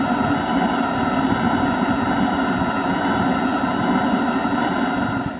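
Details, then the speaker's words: Planar 8DM-12 diesel air heater, heard from underneath at the exhaust outlet: steady, even rushing roar with a low hum, no popping or surging; normal exhaust noise while the heater burns normally. "Now, if we go underneath, that's the other loudest part of the system, and that's the exhaust. We can listen to that. So, you kind of have an idea of how loud it is."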